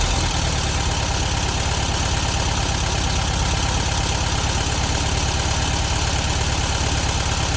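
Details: 1972 VW Beetle 1200 air-cooled engine after valve clearance adjustment and new spark plugs: rough, packety idle with steady light valve-train ticking, now on all 4 cylinders; clearances set too loose, need tightening.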